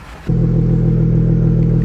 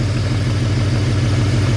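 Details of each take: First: Smooth idle on the dad wagon. I love this thing, dude. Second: BMW wagon at idle, still slightly rough; unplugging the middle coil gives no change, showing that coil pack is bad; faint uneven stumble in the beat: rough idle misfire from failing ignition coils.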